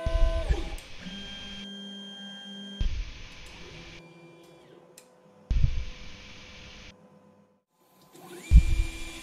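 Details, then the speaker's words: Ender 5 3D printer with MKS Gen L board and TMC2208 drivers in spreadCycle, while printing: stepper whine jumping and gliding in pitch with each move over part cooling fan hiss; normal stepper noise, clearly audible. "in terms of noise I'd say about halfway between eight four nine eight eight and these same drivers in stealth mode"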